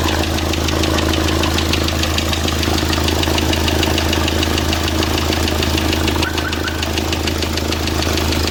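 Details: Diesel D4CB engine after break-in (run-in): sharp, regular knock about three per second over a steady idle, sounding like bottom end; cause suspected, not confirmed.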